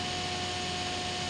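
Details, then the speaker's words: Small blower fan (turbine) for a cold-smoke generator compressor, running on a 12 V supply with speed set via a PWM module and a 1K variable resistor: fairly quiet steady whir, no PWM squeal; normal running. "более-менее более-менее тихо турбинка крутится Да вот и не такого писка даже нету как вот ШИМ модуля"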